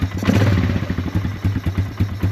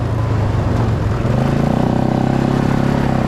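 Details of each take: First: Polaris Scrambler 500 ATV, a barn find that sat 10 years, running with no air filter, smoking a little and leaking gas from the overflow: slow uneven single-cylinder thumping near stalling; idle too low, needs adjusting. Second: Polaris Scrambler 500 barn find, sat 10 years, revived and ridden: single-cylinder thump pulling steadily under load with clean rises in revs, no misfire or stumble; runs great.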